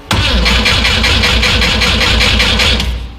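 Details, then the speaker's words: 1973 Volvo 142 SCCA race car on a jump box, fuel pump running: strong, steady starter churn near four compressions a second that never fires. Crank, no start because the ignition switch was left off. "did i do something wrong what was that that was the position oh i didn't have hey guys i didn't have the ignition on"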